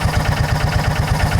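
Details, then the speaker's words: John Deere Gator 4x2 with hard hot-restart and idle issues, clutch check at idle under load. Low, heavy thumping at about seven beats a second, the engine bogging and jerking as the primary clutch grabs the belt below engagement speed. Primary clutch fault. "It's still trying to engage it there. See? See how it's jerk on it? It's not wanting to Yeah. Right there."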